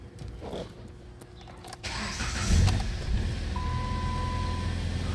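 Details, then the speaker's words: 2014 Jeep Compass, no-crank no-start with P0600 and P0688, after replacing and programming a used PCM: starter catches quickly and the engine settles into a steady, even low idle with no misses or knocks; normal start. "Oh, there you go. It starts."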